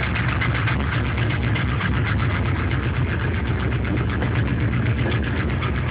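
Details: LS1 C5 Corvette block with truck accessories, 10W-30 conventional oil, runs strong, no leaks or smoke, cold start: faint uneven ticking over deep rumble; owner suspects piston slap, unconfirmed.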